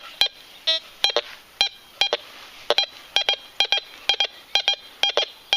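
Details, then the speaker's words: Fisher Gold Bug metal detector with small coil sweeping fast over two modern foreign coins placed side by side on the surface of a junk-polluted garden: quick pairs of short high beeps, both targets cleanly separated thanks to its speed; normal target tones. "Donc on prend bien les deux, il sait. Il faut balayer assez vite, bon mais là c'est en surface bien sûr, mais bon il est quand même extrêmement rapide, c'est ce qui fait sa force quoi."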